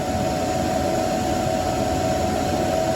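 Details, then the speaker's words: EG4 6500 inverter when firmware update (version 79.61) is started: even airy rush with steady mid-pitched hum, no rattles or grinding; cooling fans spinning up normally. "Now you can hear the fans spun up. You might have it spin up. You might have it stay quiet."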